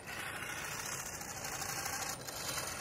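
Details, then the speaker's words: Redcat Racing DragBug RC car conversion under power: high, thin whir over a hissing run with a faint gritty edge, as if the gear train isn't meshing cleanly; pinion issues suspected, something slipped, cause not confirmed. "like something's a little funky with the opinion right now the coggan actually might help Oh having some pinyin issues I don't know what's going on something slipped"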